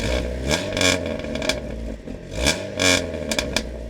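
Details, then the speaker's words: Dodge Neon with worn muffler before swapping: engine blipped a few times, exhaust turns harsh and raspy as revs rise and buzzes on the way down. "how could I forget we got to fix that horrible sounding Muffler it sounds like [ __ ] like VQ mixed with a baby [ __ ] for the first time that's what this thing sounds"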